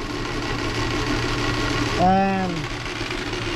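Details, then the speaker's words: 2006 Subaru B9 Tribeca running poorly at idle with an uneven, lumpy hum and irregular stumble; cylinder number one is misfiring most obviously among multiple misfires, with number six also low in relative compression; an ignition fault is still being ruled out. "hese two here and that one is misfiring the one that's very obvious let's start with number one but to check i won't monitor the other ones too"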